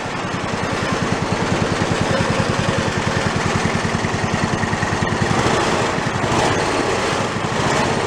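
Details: Toro riding mower single-cylinder engine, failed and torn down, rebuilt missing half its crankshaft, no throttle: loud lopsided thumping at about 200 beats a minute with heavy shake "like a Harley", though less than expected, from the unbalanced crank.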